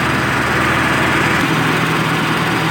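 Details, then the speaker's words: VW Passat B5 1.8 petrol, first start after hydraulic lifters were cleaned and primed and the system flushed: smooth, even idle with a steady hum and no lifter ticking left; sounds healthy. "завели как слышите двигатель работает чётко ровно туда гидрокомпенсаторов уже нету"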